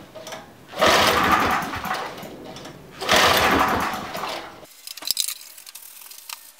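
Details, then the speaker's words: Briggs & Stratton 5HP site generator engine, rarely used, ignition on, fuel tap open, fast setting: two long cranking bursts, turns over but never fires; stale fuel suspected of clogging carburettor jets. "it's probably got stale fuel in it and that could could have clogged the carburetor up and blocked the jets and it's not running"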